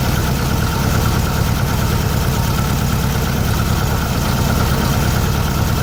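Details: 1600cc VW Beetle flat-four fitted with a remanufactured 1986 Suzuki Samurai 1.4L distributor (Spectra Premium) after retiming: smooth, steady low idle burble, no misses or knocks; healthy, seems to have more oomph.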